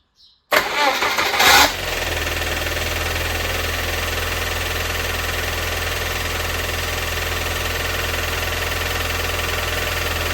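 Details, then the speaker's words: Cold Rover 400 start: a short, strained crank with a whining starter, then the engine catches and settles to a steady idle. The starter's heavy effort is a laboured cold start; cause not confirmed. "I think that's because it has to put on a big effort to turn on the engine and the reason for that effort I'm going to show you that [Music] now this is still cold so it will be particularly bad beware"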